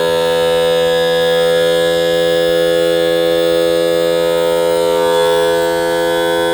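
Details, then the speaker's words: Mercury 60hp 4-stroke outboard power trim after refilling low fluid (under 3.5 oz) and cycling to purge air; it had only raised halfway. It now gives a smooth, unbroken electric whine with no stutter as it raises cleanly. "We'll actuate the switch. We'll run it all the way down. That is throwing more fluid to the other side, and I think it actually fills up on top of the cylinder."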